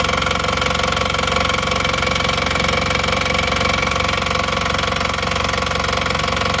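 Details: Engine that burned 6 liters of oil over under 2000 km, after rebuild with new pistons, rings, pins and connecting rods, warm after about 15 minutes running: steady, even idle beat, no roughness or knocking; sounds healthy.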